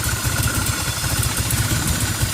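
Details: 1990 Toyota Celica Alltrac (ST185) with new plugs, wires, cap, rotor and fuel filter idles rough with a lumpy, wavering beat and some clatter, then dies on throttle. Vacuum climbs with the AFM connected but the engine dies around 12–13 inHg; owner suspects a vacuum leak.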